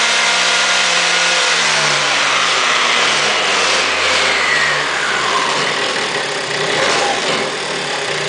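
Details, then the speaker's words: Aprilia SR50 DiTech two-stroke on a lift table during a fuel-line pressure test for sudden loss of power at wide open throttle: high, buzzy revs climb and hold at full throttle without cutting out; the stand causes the rattle; normal WOT revving. "you don't actually sound pretty healthy those times I'm not really sure it was falling off and dropping down"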